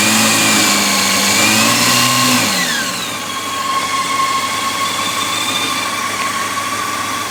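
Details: 2004 Honda CBR F4i four-cylinder at idle: light, fast ticking over a high-pitched idle that settles after a brief rev; top-end tick, owner suspects the cam chain tensioner.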